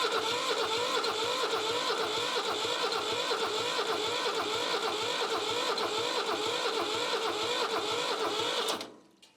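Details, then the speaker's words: Old Shibaura diesel tractor that sat for years, cranked without starter fluid or glow plugs: steady starter whirr with about two compression beats a second, some smoke, never fires; crank, no start. "Let's see what she does, see if it sounds better this way. It sounds about the same, actually. I don't know, maybe a little better, a little stronger."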